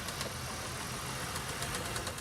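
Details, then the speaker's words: 2017 Honda Pilot petrol V6 idling: very loud, uneven metallic rattling knock from the engine bay on starting off; dealership diagnosed rod bearing failure, engine replacement needed, model under NHTSA engine failure probe. "She goes to leave and we heard a very loud rattling sound coming from the engine bay."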